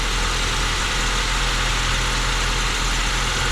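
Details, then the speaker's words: Cold start on a 1987 Mazda B2200 two-wheel-drive 5-speed truck after carburetor work: engine starts then dies, idles low and loping with an irregular heavy rumble; fast idle not engaging, cause unconfirmed. "okay well it started but it died"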